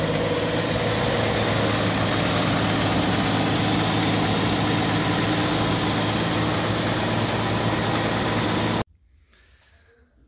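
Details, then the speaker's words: 1964 Chevrolet Impala, after sitting since 1995, just after oil change with fresh Valvoline mineral oil: smooth, regular idle rumble, steady beat, no ticks or stumbles; normal idle. "fresh oil is in i'm gonna let it run for a while then we're gonna top it off she's running pretty smooth"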